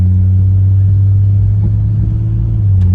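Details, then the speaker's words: Cheap Jeep Cherokee, previously with misfire and high idle, now coming to a stop; deep even rumble settling to about 730–750 rpm with no stumble or hunting; normal smooth idle. "it's running pretty smooth though um that idle drops right back down to where it needs to be this is coming to a stop it's in a 704 7 30. so it's sitting right around 7 30 to 750 where it needs to"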